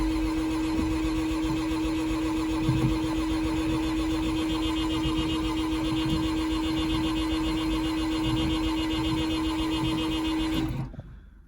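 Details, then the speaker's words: 1984 Mazda RX-7 GS 12A rotary on a cold desert morning, first start attempt with a new battery and 2 gallons of fresh gas: steady starter whine and even cranking chuff for about ten seconds; never catches, crank no start. "Try and start her up. Well, at least I have power now. Well, the antenna's trying to move. Still ain't gonna do anything, so."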